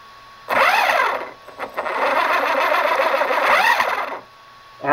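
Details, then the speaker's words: DHK Hobby Maximus RC truck with new larger 36mm-can motor and new ESC, static on a stand at low power: soft electric whirr rises and falls smoothly with no cogging, unlike the stock motor. "no cogging whatsoever man the stock motor cog something fierce this thing is as smooth as can be"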